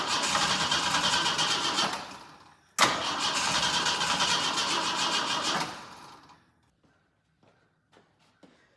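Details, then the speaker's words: Jeep J10 with freshly rebuilt carburetor and choke mechanism not yet rebuilt, so choke inoperative: two long cranking bursts with rapid, even turnover that never catch; cold engine hard to start without a working choke. "Um but with that I never actually rebuilt I have not built rebuilt the choke mechanism yet. So the choke actually doesn't work. Um, which I know when we were firing it before off of just a gas can, it did make it somewhat difficult."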